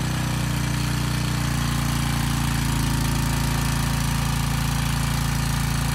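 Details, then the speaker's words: Briggs & Stratton Storm Responder generator repowered with a replacement 10 HP Briggs engine (model 204412-0163-L1), under a 4500-watt load test: steady drone with a fast, loose buzzy rattle from the starter assembly vibrating on the engine, not the engine internals. "also the engine's making a lot of noise it's actually not the engine it's the starter assembly it's rattling kind of on the engine so the engine isn't quite as loud as it sounds"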